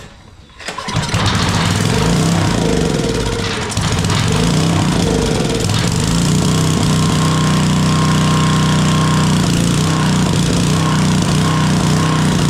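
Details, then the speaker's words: Coleman Powermate Powerbase 5000 generator, 10hp Briggs & Stratton, stored with fuel, won't-start fix by carburetor cleaning. Starts on the first pull with the air filter cover off and settles into a steady, even putter without misses or knocks. Normal start and idle. "I got to make sure it don't vibrate itself off the table but it runs pretty good I'm going to let it go nice and smooth generator works crank's first pull"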